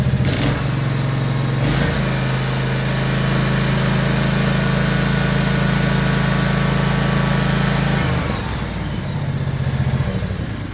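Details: John Deere Z445 zero-turn mower, 25 hp Kawasaki engine, after wiring repair for a no-charge fault: fires after a couple of cranks and holds a steady, even run with a smooth beat, no misses or knocks.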